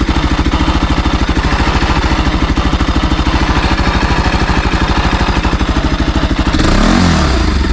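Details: Bajaj Pulsar NS200 motorcycle at 12,000 km: hard, even clatter pounding through the idle and swelling as the throttle is blipped; abnormal mechanical engine noise, origin unclear.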